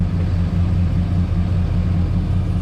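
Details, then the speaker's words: Low, heavy, lumpy idle after the injectors were shuffled between cylinders: the misfire stays mainly in cylinder 4, so an injector fault is ruled out. Spark is verified and the cause is still unknown. "This cylinder 4 misfire, it's whipped me. I can't figure it out."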